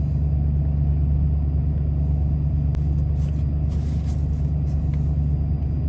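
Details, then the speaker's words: 1993 Ford F-150, about 110,000 miles, at startup: deep lumpy idle with uneven pulse about three beats a second, hunting; codes 998 (limp mode) and 122 point to the throttle position sensor, part on order. "All right, so now let's start it up here. Idling like garbage. There's the flash."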